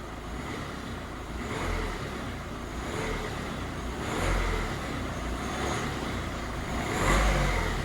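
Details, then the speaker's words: Ford Focus diesel after cam cover refit, not yet at temperature: steady clatter swells smoothly with light throttle blips and settles back to an even idle; no warning lights, sounds lovely. "sounds lovely doesn't it really nice"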